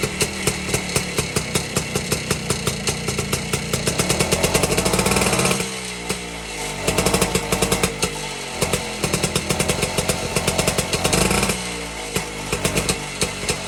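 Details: 1952 BSA D1 Bantam engine in a test rig, first start in over two years after tickling the carburetor; fast crisp two-stroke popping, stumbling midway, then picking back up: normal two-stroke running.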